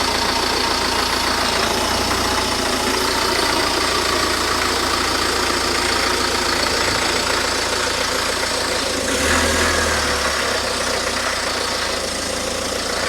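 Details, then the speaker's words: 2008 Ford Focus 1.8 TDCi after fitting new serpentine belt (old one edge-worn at 18 months, 30,000 km; tensioner suspected): steady diesel idle clatter with no belt squeal or chirp; belt runs correctly in all pulleys. "So it looks pretty good. We're in all the pulleys, in all the grooves, all go around the right way."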